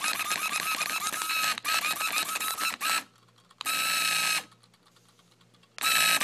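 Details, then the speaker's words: Cheap $5 RC car motor after off-road use and full-throttle revving; quick rattling clicks in bursts with silent gaps instead of smooth whir, moves back and forth, motor seems too hot; owner thinks it broke; motor clicking and ratcheting. "And I was like messing, like I was revving it like full throttle, and now it sounds like this. It's not supposed to sound like that."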